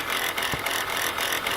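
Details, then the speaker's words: Chrysler Pacifica, engine running: harsh gritty high-pitched whirr from the alternator, with its pulley bouncing and brown residue around it; the alternator bearing appears shot. "all right guys from the looks of this and the sound of this look like the alternator bearing is shot"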